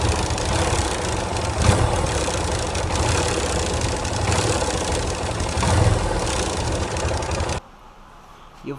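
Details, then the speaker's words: Yamaha Fazer 250 with a non-original starter part fitted by a previous owner: the small single idles lumpily with a light, quick tick over the exhaust beat. Starter clutch bearing noise. "É, esse esse problema é um barulhinho aqui na nessa parte do motor aqui, né? Um tec."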